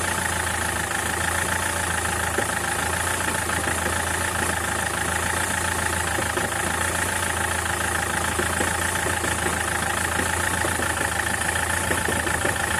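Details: SsangYong Kyron diesel at idle: an uneven, dull knocking riding under the clatter, steady throughout, from a worn dual-mass flywheel with excess play, due for replacement.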